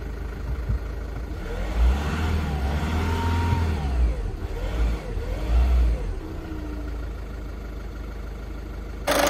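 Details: 2012 Audi A1 diesel during full service, after bleeding fuel system with pump priming: fires and revs up and down smoothly, then settles to even diesel idle; runs healthy.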